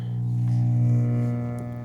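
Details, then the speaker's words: Mistreated 1965 Fender Princeton amp, bias set, on current limiter, sound test soon after switch-on: loud, steady, low droning hum, slight swell, constant pitch; not in the preamp, a power amp problem, new caps coming. "Now, that doesn't sound good at all."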